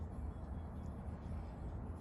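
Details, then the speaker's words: Honda S600 with carburettors, 5-ohm plug caps checked: low, lumpy idle with an uneven stumbling pulse, misfiring with an outer cylinder dropped and only the two centre cylinders firing; owner suspects a weak aftermarket fuel pump giving low fuel pressure. "So, that's caused it to drop this cylinder here now. It's only It's only firing the two center cylinders."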